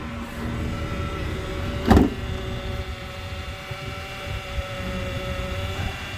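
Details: 2008 Honda Accord coupe, about 200,000 miles, idling: steady high whine with one brief clunk; power steering pump whine with fluid out, owner suspects the pump needs replacing.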